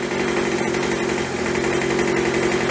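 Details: Craftsman (MTD) B2000 two-stroke blower after carb cleaning, carb kit and trigger modification, idling about 2800 rpm while warming up: smooth steady buzz at even speed, no surging or stumbling; running healthy.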